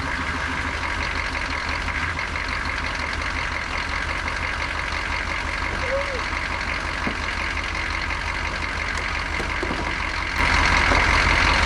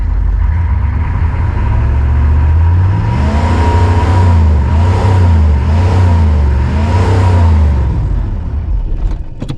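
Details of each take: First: 1988 Chevy C2500 with a 6.2 diesel and Banks turbo, over 400,000 miles, after starting with a gas-soaked rag in the air filter, runs on its own with an even, steady clatter and no stumbling, then the noise steps up slightly. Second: 1988 Chevy C2500, 6.2 diesel with Banks turbo, over 400,000 miles: the deep drone swells as it is revved and held to test the boost gauge (it built a little boost), then dies; engine stalls after revving, restarts, cause unclear.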